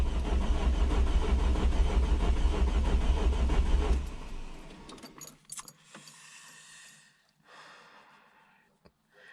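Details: First start of a rebuilt semi-forged 3.0 engine: fast, even cranking at about three beats a second, light with no compression drag, and it never fires. The owner thinks it sounds like no compression, and the gauge shows no oil pressure, possibly a faulty gauge. Unconfirmed.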